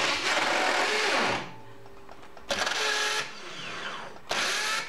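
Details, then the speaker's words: BMW starter: each press gives a harsh, raspy grind of about a second from a damaged flywheel ring gear, caused by a previously fitted starter not torqued sufficiently or misaligned with its alignment pin missing; fix is a new flywheel. "if so you need a flywheel um this damage is frequently caused by the starter being removed at some point and and not torqued sufficiently"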